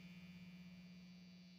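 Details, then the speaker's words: New Squier Stratocaster, neck pickup only: steady low 60-cycle hum with no picking, mains hum from the single-coil pickup; the hum disappears in switch position 4. "We got the hum. The 60 cycle hum is there."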